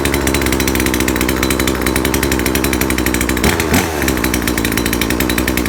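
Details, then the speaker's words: Chainsaw after the mixture needle was adjusted to cure an over-rich condition, before final fine tuning: high, even two-stroke buzz holding steady revs with no stumble or bogging. Normal running. "ต่อไปเป็นปกติอ่ะนะเนี่ยก็ประมาณนี้แหละ"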